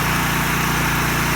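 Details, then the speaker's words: Roughly 7000 W generator, allegedly made in Japan, running with its fuel solenoid pin bypassed and a fuel petcock used for storage. A steady, even small-engine drone with no surging or stalling; runs normally. "so now turn it on [Music] and you gotta work in generator and that's that"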